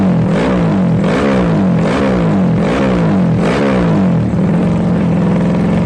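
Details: Yamaha Jupiter Z bored-up engine used daily, fresh oil, new spark plug and fuel: loud deep single-cylinder exhaust through repeated blips, revs climbing and dropping cleanly without misfires; normal running.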